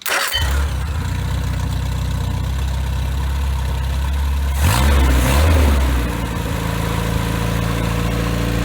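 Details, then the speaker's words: Rebuilt Triumph Spitfire 1500, shaved head ~9.5:1, .270 cam, new pistons: low steady idle about 800 rpm, about 60 psi oil, ~190°F, even firing with faint regular fuel pump clicking, briefly revved; normal healthy idle. "about uh 800 rpms uh about 60 yeah about 60 pounds of oil pressure temperatures about 190."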